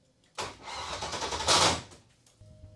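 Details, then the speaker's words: 6.0L V8 in BMW: three working injectors switched on flooded the motor; harsh labored crank about 1.5 seconds stops abruptly without catching, gas then pours from exhaust; flooded, hydrolocked engine. "big lesson learned I turned on the three injectors that were working and absolutely flooded the motor what a devastating mistake"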